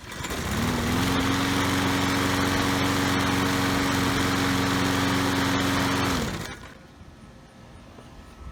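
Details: Troy-Bilt 3-in-1 self-propelled mower with a Briggs & Stratton 675 series 190cc engine, rescued from the curb. After the fix it starts, climbs to a steady high hum, holds it evenly about five seconds, then cuts out cleanly: normal running.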